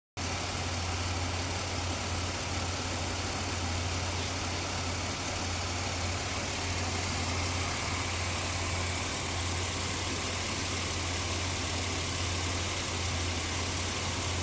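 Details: 2004 Ford Explorer petrol engine at rough idle, worn spark plug wires, possibly a bad alternator or voltage regulator: low steady drone with occasional dips and stumbles; cause not confirmed, still ran poorly after wires were replaced.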